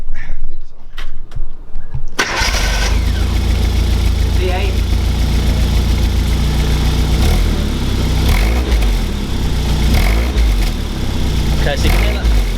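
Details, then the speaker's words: 1989 Classic Mini Mayfair, non-injection, genuine 2,000 miles: engine cranks, catches and settles into a steady low idle with soft puffing, an exhaust blow at the centre pipe join after the exhaust was refitted. "where's min-cut is right on this join here so when the exhaust been refitted it's got a bit of a blow"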